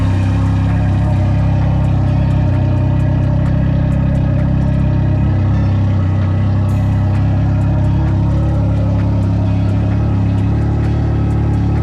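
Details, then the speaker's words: Can-Am motorcycle, apparently the Ryker, with about 8,100 miles, cranked after sitting unridden for months: starts and settles into a steady, even idle with a deep, smooth beat, no knocks or misses; sounds really good. "So as you can see, this bad boy sounds really good."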